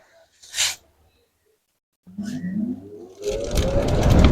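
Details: Voltas window AC after replacing the cracked fan blade that caused a rattling noise, tested before refitting the cover: silence, then motor spins up with rising hum into steady fan rush, no rattle or ticking; fan now runs normally.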